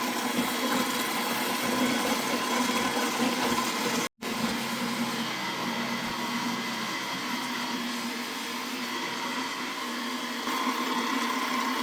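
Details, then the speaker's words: Repaired Slush Puppie machine running with orange cordial instead of syrup, plus ice and salt. An even, steady whirring churn with ice rattling inside, no catching or labouring; the stirrer turns freely and sounds healthy. "Well, yeah, it seems to be doing stuff. Let's come back to it in a bit."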